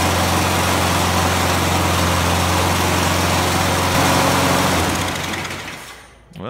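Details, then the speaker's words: John Deere Briggs & Stratton push mower that wouldn't start, after carburetor bowl cleaning and draining: steady even buzz with no misses, surging or knocks, then winds down smoothly; runs healthy. "we see it start, so we know we're good to go."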